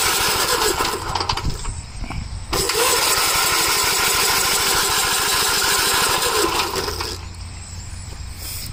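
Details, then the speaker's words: Gravely tractor engine with no governor: cranks in steady pulses, about three to four a second, but never catches and runs. The fuel tank was nearly empty. "I thought it had gas in it. It has gas in it. It has a very little bit. Nah, it doesn't really have anything in it."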